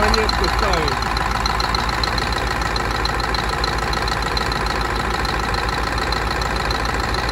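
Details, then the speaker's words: Scania DC16 16-litre V8 diesel (500 hp, PDE, from R500 truck, 1.6 million km) after full rebuild, first start: steady even healthy idle with smooth beat, no knocks or misses. "sau khi sửa chữa, chúng tôi để động cơ chạy không tải"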